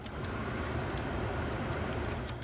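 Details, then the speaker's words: Astra H heater blower fan running: a steady, even whoosh with no rattle, squeal or rising pitch. The blower motor works normally, but the heater blows cold air on every setting. "can hear from that you can hear the blower is still working so the fan the blower fan that's still working"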